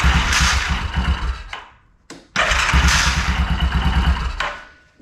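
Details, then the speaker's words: 2001 Yamaha Kodiak 400 ATV with a starter already swapped: two cranking bursts with a rough uneven chatter about three a second that drags, worse as it heats; slipping one-way starter bearing suspected, not confirmed. "That one didn't do it as bad. It did it, but not bad. That noise. And then watch the rotor. Here, when I do it, you'll see it changes speed."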